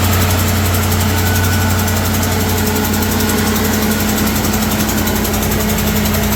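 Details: Ford F-350 with replacement 6.2 engine on first start: steady idle with fast, light ticking riding over the rumble, about three or four a second; a small exhaust leak noted, ticking cause unconfirmed.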